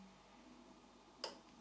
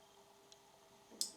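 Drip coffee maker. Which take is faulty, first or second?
first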